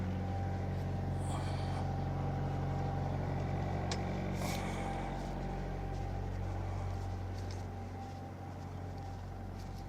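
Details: Boat diesel engine that sat 6 months and started without glow plugs, run in forward gear and throttled up slightly while tied to the dock, prop loading it: deep, even thrum with no knocks or misses and no smoke. Normal running under load.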